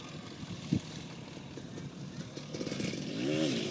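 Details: 2002 Suzuki RM250 two-stroke, last ride before teardown and full rebuild: off throttle the engine note swells and fades in a slow wah-wah rhythm, clearest at the end; cause unknown.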